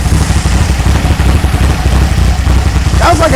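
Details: 1964 VW Beetle air-cooled engine after a tune-up with new rockers, carburetor and ignition parts: loud, lumpy low idle with an uneven galloping beat that never settles, a misfire; the coil appears bad or failing, and distributor timing is also suspected.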